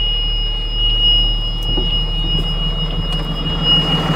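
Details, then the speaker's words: 2009 Bluebird school bus with Cummins ISB diesel running with its own ECM, before the ECM is swapped to a crank-no-start bus: steady low rumble, even beat, faint constant whine; healthy idle, ECM good. "so right there as you can hear the engine is running so this engine runs okay the engine runs this ECM is good"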